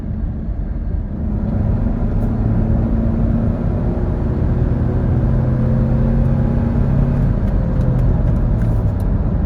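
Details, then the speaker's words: Saturn Vue 2.2, driving on road after rear spring isolator apparently fixed a clunk, check engine light on: smooth, steady low rumble with no knocks or harsh shifts; running and shifting really well. "Running and shifting really well."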